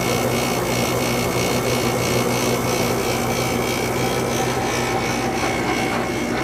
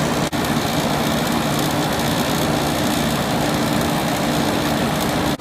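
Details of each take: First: Second Sharp window air conditioner, first startup of the season after winter storage, compressor just started: a constant compressor hum with a buzzing rattle from the cabinet vibrating on what it sits on. The coils frost at startup but it still blows cold. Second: R22 window air conditioner with blue evaporator coil at its spring 2020 first startup, on high fan as the compressor starts: steady even fan rush, smooth low compressor hum, no rattles or surging. A quiet unit, running normally.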